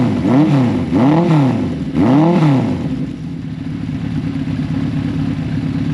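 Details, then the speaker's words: 1983 Suzuki GS1100GL four, newly fitted Delkevic stainless full exhaust with megaphone baffle, existing jetting: three quick throttle blips rising and falling cleanly, deeper note than the original exhaust, settling back to a steady idle; normal free revving. "As you can see and hear, it's got a deeper tone than the original exhaust, and I'll rev it up a little bit here just so you can get the sound of it."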